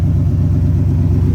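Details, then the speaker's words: Mustang engine after rebuild, warm after about half an hour of driving: deep even rumble with a steady low throb, no taps or misses; running smooth and healthy. "But it's running great right now. It's amazing for it to be done. Sounds good. Everything's going smooth."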